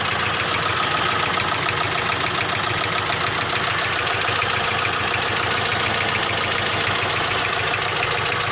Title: Jeep engine noise